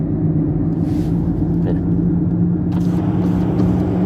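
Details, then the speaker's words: Toyota RAV4, damaged left rear wheel bearing heard from inside the cabin while driving: steady low droning rumble and constant hum, with a slight vibration felt underneath; rear wheel bearing rumble. "Le roulement de la roue arrière gauche fait du bruit ; je ressens une légère vibration sous moi."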